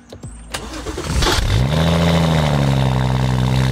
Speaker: and even though I've been driving it for a while now that little blip on the throttle that it gives when you first start it up when you go out to the car I still really love it